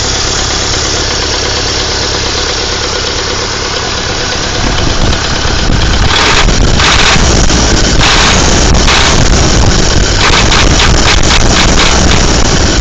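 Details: Warm engine at idle: a steady, regular knock of about four beats per second rides over the idle; engine knock, cause not found.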